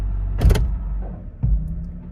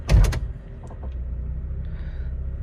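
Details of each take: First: 2003 Honda CR-V shifting into drive at a stop, before mount replacement: two heavy thuds about a second apart over a quiet idle. The engine is rocking on worn engine mounts. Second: 2003 Honda CR-V automatic after fitting new aftermarket motor mounts reinforced with window weld. A door thump, then a steady low idle with no bang as gear is engaged. No clunk on gear engagement.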